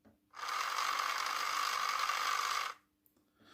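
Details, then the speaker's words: Fly Renault 5 Turbo 1:32 slot car, previously sticking motor, after lubing the crown and pinion gears: even whir at one steady pitch with no catching or stutter; gear mesh now much smoother. "and that's not sticking at all now that that Crown gear and pining gear the mesh on that now is much smoother"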